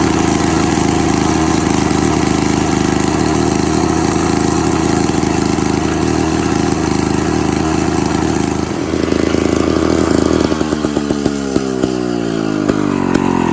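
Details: Classic Victa 18 two-stroke lawn mower, first start after purchase, primed, throttle about half, fuel tap leaking: steady rattly buzz, then pitch rises and wavers as it speeds up; normal two-stroke running.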